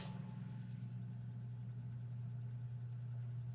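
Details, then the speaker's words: 8-track player motor that kept stalling and lacked power, tested with no tape loaded: steady even low hum spinning up and holding without bogging; motor now running normally, apparently fixed itself. "Have to test it with a tape later, but it's looking like it's working suddenly."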